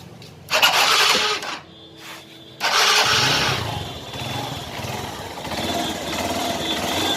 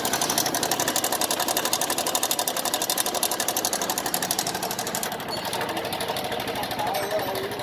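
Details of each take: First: TVS Star Sports motorcycle after an engine sound problem was repaired: a quick starter whirr, then it catches and settles into an even, steady idle with no tapping or rattle. Normal start and idle. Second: TVS Star Sport motorcycle, engine sound problem: a quick, even tick about four times a second over a thin engine note. Abnormal engine ticking, which was fixed later by a repair.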